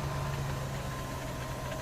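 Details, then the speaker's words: After replacing a fuel pump whose constant high-pitched whine went with sputtering and false starts: steady, even idle with a smooth low hum and no high-pitched whine; the fuel system sounds healthy. "Just quiet. Awesome. Love it."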